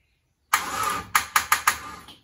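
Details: Chevrolet Monza after complete rewire with a Painless Wiring 23-circuit kit, battery at 12.7 V, switched cranking power spliced at steering column: starter grabs in a few short labored chugs then quits, never catches; possibly insufficient cranking power, unconfirmed.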